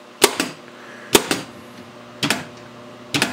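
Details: Williams System 6 Scorpion pinball with a repaired driver board (bad transistors), in solenoid test: solenoid number 2, the drop target, gives four sharp, crisp clacks about a second apart, each with a quick bounce, firing cleanly: normal.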